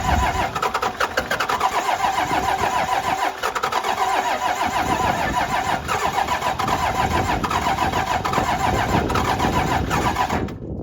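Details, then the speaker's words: 12-valve Cummins in a rollback tow truck, rebuilt with cheap Amazon pistons, injector lines bled but cylinders 4-6 not yet fuelling: ten seconds of steady cranking with even compression beats, no firing; air suspected in fuel lines, crank no start. "I really thought it would go I'm going to hook up the battery charger and give it 20 minutes to charge the only conclusion I can come to is there's more air in the line"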